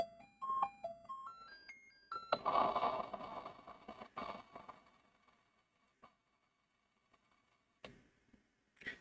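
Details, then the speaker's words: Commodore 64 with cleaned edge connectors under the cartridge diagnostic harness, SID sound test after the interrupt test: clean stepped beeps rising and falling in pitch, then hiss and clicks; SID chip appears to be working. "And that is a rare thing in my in my experience, a SID that's actually working or at least it seems to be so far."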